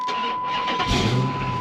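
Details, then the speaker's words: Chrysler 300 SRT8 V8 at auction lot, runs and drives; catches and fires into a deep, strong burble within a second, settling to a healthy, even run: normal engine start. "but she has power oh she does run and she was in the all Mopar video I did uh here recently"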